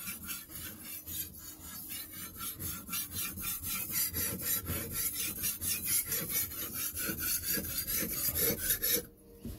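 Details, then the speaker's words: Hand-sharpening a kitchen knife on a wet sharpening stone; even rasping strokes about two a second with gritty bite; audible grinding shows the stone is cutting properly, not glazed. "o one of the signs that your stone is glazed is that it doesn't make any sound at all you kind of want to hear this grinding noise that you can hear now and if you don't hear anything then your stone is probably glazed"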